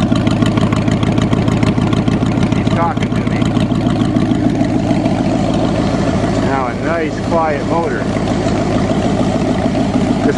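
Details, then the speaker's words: Cheviac in freezing weather, after replacing two black, wet, fouled plugs and beating the rad cradle for fan clearance: steady, even low putter at idle, no misses or knocks, purring smoothly before first ride of year. "Just gotta tie the hood down and we're ready to ride. First ride of the year. Purring like kitten."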